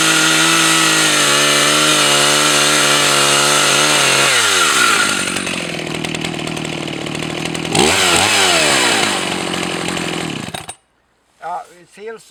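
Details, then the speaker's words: Husqvarna 162 SE 61.5 cc professional two-stroke chainsaw cutting: high revs bogging into the cut with harsh metallic rasp from the chain; owner confirms bar oil tank empty, dry chain. "I didn't check if there was enough oil on it. I thought it was. It may be empty for oil. It sounds like it's empty for oil."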